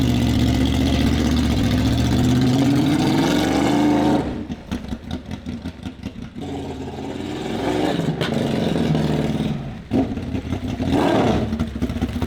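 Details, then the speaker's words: Turbocharged Honda VFR800 (Temu turbo) with replacement throttle bodies fitted, no warning lights, warmed up: ragged pops and stumbles, spluttering and cutting out once too much throttle is applied; spark plugs may have some oil. Previously started and idled but wouldn't rev. "It kind of sounds like it's okay, but once you apply too much throttle, it's not interested. It will just cut out, it will splutter."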